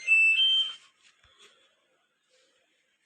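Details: LG Intello Wash 6.0 kg WF-T7066MN washer: one clear high-pitched beep under a second, then quiet; the control panel's normal power-on chime.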